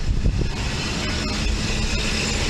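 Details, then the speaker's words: Mercedes V12 running without the throttle bodies installed on the intake, so idle is uncontrolled and high; throttle blipped to show both units activating. "as you can see idle is high but the purpose of this is i can blip the throttle to show you both units activate"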